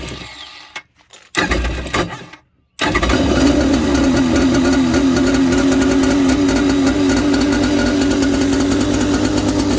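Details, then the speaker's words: Jet ski X2 (hull about 1986) with a starter bendix that was not engaging. A few choppy starter bursts spin without turning the engine, then it catches near three seconds and holds a steady, even run. "so we'll uh we'll pull this one apart but maybe that's why it's not oh it's not starting there we go now we're getting running"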